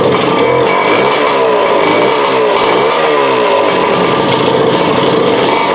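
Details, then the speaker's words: 1974 Suzuki TC125 two-stroke after rebuild with new cylinder, piston and rings (55 PSI compression), original carb refitted, running pre-mix with working oil pump so heavy smoke: raspy engine rises and falls with throttle, never settles; will not idle. "but uh it will not idle so and of course it's going to smoke like a freight train because the oil pump works and I'm running pre-mix on it"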